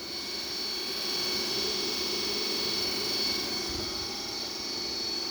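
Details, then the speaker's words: New electric motor for an EV MG Midget conversion, replacing one that blew up on the highway, bench-tested on 12 volts with no load: a steady, smooth high-pitched whir with no ticking. "That's spinning pretty well on 12 volts. And it sounds good. No ticking."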